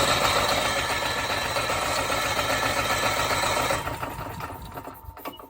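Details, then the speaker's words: Generator, surging before, hard on cold start, test start: rapid regular cranking chatter, about 220 per minute, never catches and fades out; starts only with manual throttle. "But now, it's, especially with the cold start, it doesn't want to start."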